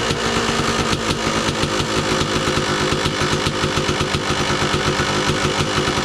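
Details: 2002 Kawasaki KDX 200 two-stroke, usually starts first kick: crisp even popping at steady idle, exhaust (KIPS) valves fairly quiet with no rattle; engine idling healthy.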